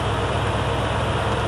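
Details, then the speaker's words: 1982 Ford F-150 with a 302 cubic inch (5.0 L) V8, idling while jump-charging a combine battery: deep, even rumble with a regular low beat and no stumbles or knocks, a good-running healthy idle. "that's right good running motor right there little 302 cubic inch v8"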